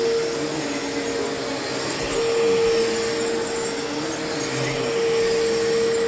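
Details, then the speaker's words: Used Bissell PowerLifter Pet Swivel upright vacuum, acquired in a trade and used at a volunteer site. Its motor gives a steady, clean mid-pitched hum with even airflow rush and no rattles or pitch wobble; the owner believes it has plenty of life left. Normal motor run. "I'm going to uh fire this thing up. I'm going to run it for a little bit and you can hear just the how the motor sounds."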